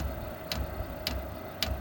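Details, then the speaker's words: Diesel heater in an off-grid cabin being restarted after a full teardown and soot clean-out: dosing pump ticks crisply about every half second over a faint low hum, pushing air bubbles out through the clear pressure-side line while priming. Normal. "The air bubbles working their way out through the pump."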